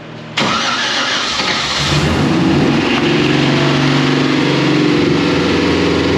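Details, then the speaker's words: 1957 Chevy at first start in neutral: it catches at once and settles into a smooth, even idle with a steady low burble and no knocks or misses, quieter than expected; normal idle. "I thought it'd be way louder. I'm glad it's not."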